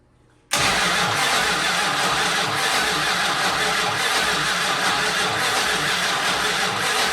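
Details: 1968 Dodge Monaco 500, rebuilt 440 Magnum V8 first-start attempt after 36 years, fuel supplied: starter churns engine evenly for several seconds but it never catches; no spark, ignition feed not connected.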